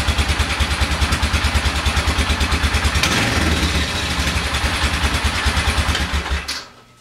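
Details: 1996–97 Polaris Sportsman ATV after clutch replacement and AWD fix: even, steady thumping run with no rattle or banging from the clutch; engine smooth and healthy, clutch problem solved.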